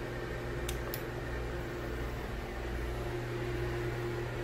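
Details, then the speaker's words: Broan Heat-a-vent bathroom exhaust fan and heater, heater not working, rated 70 CFM and about 4.0 sones; quiet steady hum with a soft even whoosh, no buzz or rattle, normal fan operation. "Doesn't seem too loud in here, but this one's not as buzzy. Actually, not buzzy at all."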